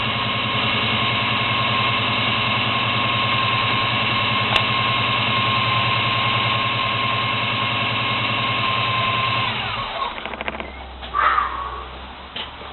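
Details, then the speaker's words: 1972 Chevy Monte Carlo small-block 350 V8 on its carburetor before the FiTech EFI conversion, with a bad factory starter. Lumpy idle carrying a thin steady whine until shutdown. Source of the whine is not yet found. "right now the factory starter that's on it right now is bad so the car is a little loud and also I'm going to be tracking down that whining noise"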